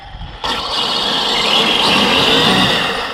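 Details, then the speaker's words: 12S Rovan F5 RC car with Poseidon 600Kv motor, 106°F day, full throttle: sharp high steady whine as the ballooning front tyres spin and smoke; tyre wheelspin, power needs feeding in gradually. "so gonna need to feed the power right in man that was the tires slipping"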